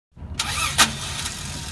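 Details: 1994 Toyota Land Cruiser failing starter motor: harsh, gritty crank with a sharp clunk partway through; starter mounted front left, replaced.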